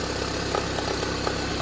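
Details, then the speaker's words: Toyota Harrier 5S-FE petrol engine idling cold: sharp light ticks about four per second over steady idle, fading as it warms; recurring every morning for 4 months, timing belt checked fine, cause unknown to mechanics. "Вот что это за треск? Откуда он идет? И постепенно с прогревом он уменьшается, уменьшается, уменьшается."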